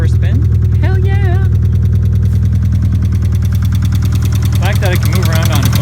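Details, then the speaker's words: 1989 Ford Probe GT parts car, run at open throttle: a steady idle with a sharp, regular knock about three times a second, loud over the engine. Cause unknown. "it even sounds good it's got a wicked knock what's going on there buddy"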